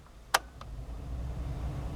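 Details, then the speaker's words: 2000 Chevy Blazer after replacing the blower motor resistor (fan had only worked on speeds 3 and 4): switch click, then the blower comes on at setting one with a low, steady rush, no whine or squeal. Normal blower operation. "I should hear uh setting one come on when I flip this over and I do hear it I don't know if you can hear it or not"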